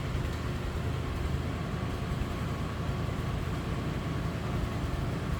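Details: 1952 Ford F600 dump truck, flathead V8, 4-speed manual, 2-speed rear axle, 18,277 miles believed original, in neutral after a cold start: low soft steady idle with no ticks, knocks or misses; healthy.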